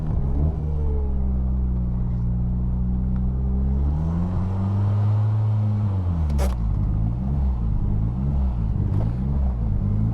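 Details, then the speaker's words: Highly modified 700 hp 2004 Mitsubishi Lancer Evo VIII: idle hangs high and steady around 3000 rpm, wandering slightly instead of dropping; bad idle air control valve and/or vacuum leak suspected. "So that's it, just hanging high. Vacuum leak or IAC control, something's going wonky in it. It just wants to hang up around 3,000 RPM and sit there."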